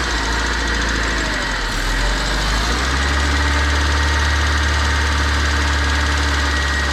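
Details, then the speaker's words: Budget Honda Civic EK: steady idle with faint, uneven knock over low drone, about four per second; internal engine knock at idle, cause unknown. "I mean it's not knocking at all right now and I hope y'all can hear this man yeah cut this heat off but this is man what I mean you can hear it"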